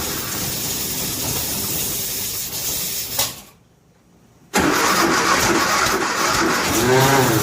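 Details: 1957 Nash Metropolitan barn find, sitting many years, manual choke: steady starter cranking about three seconds, pause, more cranking with uneven catches but no run; cranks but won't start, plug wires crossed.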